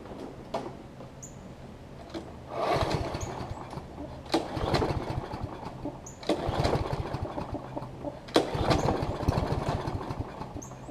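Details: Toro Personal Pace self-propelled push mower after replacing its shredded self-propel drive belt and reinstalling the blade: pulls over and catches, runs in rising and falling surges with handling noise; starts and runs normally, rear wheels driving strongly.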